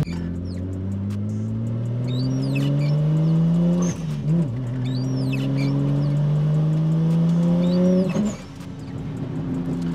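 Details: Nissan R34 Skyline RB25 NEO on road test after fitting Audi R8 coil packs for a spark blow-out misfire: engine pulls hard and rising in third, then stumbles and breaks up under full boost; coils did not fix it; cause unknown.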